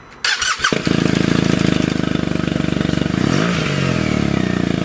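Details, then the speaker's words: BMW R1200GSA boxer, first start after fitting a Lextek SP8C Sport Carbon exhaust, bike stood a while: starter whirr then even, fairly soft lumpy idle, quiet enough to talk over, no knocks; normal idle. "That's actually quite quiet. I can speak to you over the sound of the exhaust."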